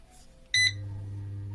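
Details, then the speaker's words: Eurom Sani Fan Heat 2000R bathroom heater switched from standby to on: single short high beep, then fan motor starts with a steady low hum; normal power-on beep. "Powered on."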